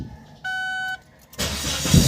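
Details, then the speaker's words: Ford Focus after fuel pump replacement cured long-cranking hard start: short dash chime, then engine catches almost instantly on the first turn of the key and settles into a steady run; starting normally. "kak mas mabilis na yung response n ating cranking ng ating tinatawag na ah sa ano sa ating pag-start ng ating sasakyan"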